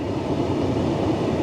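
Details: Tesla P85 cabin heater blower running with a steady, even whoosh and no ticking, scraping or surging after its wiring was restored to stock and the blower motor resistor and DC/DC converter were replaced; the air is not yet hot.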